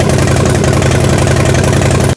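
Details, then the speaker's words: Harley-Davidson Dyna battery test with multimeter, headlight on: strong even chuffing from the big twin while cranking for two seconds; voltage mostly above 10 V, briefly dipping just below, optimal battery. "so as you can see with the Dina it may while it was cranking quickly bumped just a little bit below 10 but during the most of the cranking was above 10 and so that's what optimal battery looks like"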